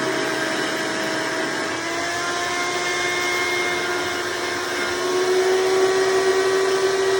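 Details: Hoover Elite vacuum owned since May 2024, bearings greased, after replacing the 7-blade fan impeller with a 20-blade upgrade: steady high motor whine with even airflow roar, no rattle or scraping; noise reduced but still somewhat loud; normal running.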